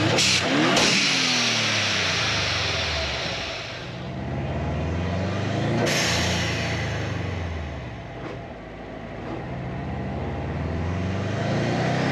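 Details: 2008 Subaru Legacy GT with Cobb downpipe and SPT catback, just fitted with a GFB Respons hybrid blow-off valve: revs rise and fall with very loud sharp exhaust cracks as the throttle closes, overrun pops.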